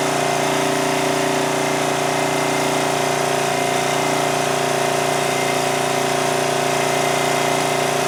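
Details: 2002 Coleman Powermate 5500 generator after the governor spring was backed off from a 135 V overspeed, aiming for about 115 V output. A steady, even drone of constant pitch with no misses or surging at the lowered speed. Normal running.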